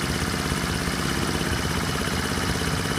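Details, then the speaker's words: Honda 50/70/90cc small engine after rebuild, fitted in a scooter, warm after about 15 minutes of riding: steady even idle with a faint quick tick about three per second, no knocks; normal healthy "sewing machine" idle. "That's why they call these little sewing machines, is because they just have the tiniest little tick to them. I don't know, to me it's actually quite therapeutic. I can hear the parts working, but it's not invasive or anything."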